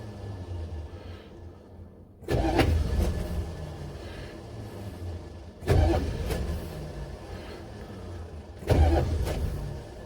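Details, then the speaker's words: Buick Electra 5.7 diesel, first start in a year, blown head gasket unrepaired, glow plugs held 10 s, weak battery: three cranking bursts, each ended by a clunk as engine kicks and starter throws out; cause unconfirmed. "okay okay all right well every time the engine gives a kick it just pops up starter raw out"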